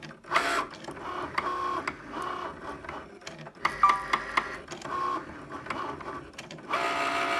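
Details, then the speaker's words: New Cricut Maker cutting a card: a loud, sharp, irregular knocking breaks in over the motor whir as the carriage moves back and forth. "My machine is making a loud knocking noise. You'll hear it in just a moment when this device moves back and forth."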